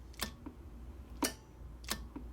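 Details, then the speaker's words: JB50 (JB75A) linear amplifier put into operate: three crisp relay clicks, each with a softer release tick, over a quiet hum. The transmit/receive relay switches cleanly and reliably. "to hear that thing clicking and doing it reliably"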